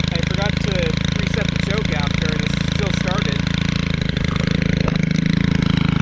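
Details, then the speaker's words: Stihl 4-Mix trimmer engine at idle and revving: even, steady low drone without misses or knocks; normal healthy running. "Um that idle sounds like a getting current. And then when it's revved, sounds like a ATV. I just love the way these four mixes sound."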